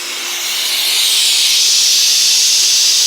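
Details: Homemade shop compressor built 37 years ago from a diesel truck air-brake compressor, with a belt possibly over 40 years old: steady even air rush while the gauge rises, no knocking; running normally.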